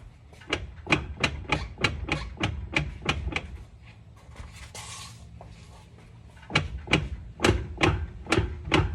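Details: 2010 Infiniti FX35 AWD, 140k miles, clunk when decelerating slowly with downshifts and shifting drive/reverse, worse since polyurethane rear subframe bushing; wheel rocked back and forth gives sharp clunks about once per second: driveline play, normality uncertain.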